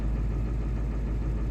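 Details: Ford 7.3 Powerstroke diesel at cold idle after injector electronics were shimmed back to factory clearances, fixing its cold no-start; deep steady idle with light injector clatter and no misses, running normally.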